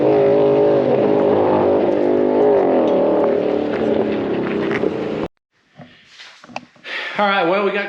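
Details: Blue car on an aborted drag pass: a high, flat, buzzing note held at the top without moving into the next gear. Shift points are commanded too late, so it bounces off the rev limiter and only shifts when he lets off the gas.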